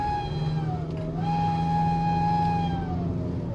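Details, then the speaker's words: High-pitched, scream-like whine rising and falling with engine speed, present even at standstill and louder on throttle, over engine rumble; car reportedly stuck in first gear after engine light came on then off; engine oil never changed, turbo suspected, not confirmed. "RPM이 올라가면 이런 소리가 나요. 신기한 소리가 납니다. 뭔지 모르겠는데 한번 같이 진단해 보도록 하겠습니다."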